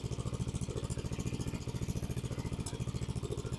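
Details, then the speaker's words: Free abandoned lawn mower, revived after seeming locked up, now no longer smoking because of the pipe: small single-cylinder engine pulses steadily at roughly three and a half beats a second with no misses or knocks; runs well despite a destroyed starter. "so probably still the solenoid it sounds really good it's not smoking anymore because of the pipe it sounds really good"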